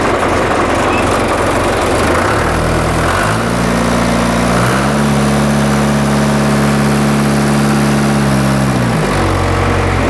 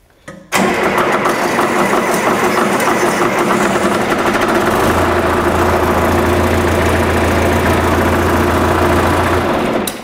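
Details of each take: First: John Deere 2440 diesel tractor after new pencil injectors and fuel filter, hood off: even diesel clatter rising to steady higher hum and back, running smoothly on all four cylinders, no misfire; normal. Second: John Deere 2440 diesel tractor start before injector replacement: long crank before catching, then rough loud run, smokes heavily and wet stacks; fuel system/pencil injectors suspected worn, hard starting.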